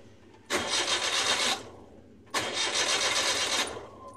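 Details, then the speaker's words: Suzuki F6A engine cranks evenly in two short one-second attempts but never fires, after battery indicator light wiring to the alternator socket was repaired; crank no start, cause not confirmed. "mga boss, ayaw na mandar."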